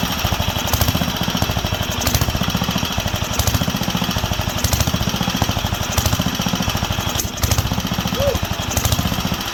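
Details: Wisconsin AENL single-cylinder barn-find engine on its first run in 20+ years, after restoring spark and cleaning the fuel system and carb. Loud chugging rises and falls every second or so. Surging; owner says there is not enough on the high-speed circuit, likely lean.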